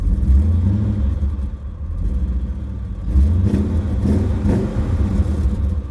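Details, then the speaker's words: 344,000-mile Dinan E39 M5 V8 revved at standstill: rough, uneven idle with a raspy, puffing exhaust note; owner believes there are 15 to 30 exhaust holes; also a stumble code; exhaust leak. "God damn this thing sounds like [ __ ] but I know it has probably like 15 to 30 exhaust holes"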